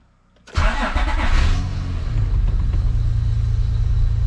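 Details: Third-gen Acura TL Type S after a new Clutch Masters FX250 clutch, flywheel, solid engine mounts and rear main seal, borrowed battery: quiet, then starter catches, fires within a second and settles into a smooth, even idle; normal start.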